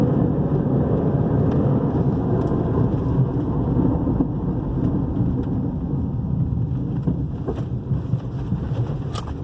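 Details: 2010 Toyota RAV4 2.4 petrol on a road test: deep, steady rumble on the move, loudest through curves, traced to a worn right rear wheel bearing.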